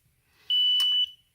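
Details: Apomorphine infusion pump being set up for a subcutaneous infusion: one clean, high beep about half a second long in a quiet room. It sounds after the blue button is released once a drop appears, meaning the tubing purge is complete and the line is ready.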